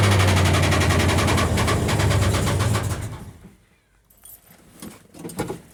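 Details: Cold start: quick, even ticking over the high cold-start idle for about three seconds, then fading; owner calls it a little lifter tick, cause unconfirmed.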